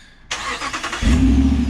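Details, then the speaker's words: 2009 Ram 1500 Hemi TRX4 started by the key fob after factory remote start was enabled: a short crank, then the V8 catches within a second and settles into a steady, deep idle. A clean, healthy start. "Ah, beautiful. You can see that we now have factory remote start."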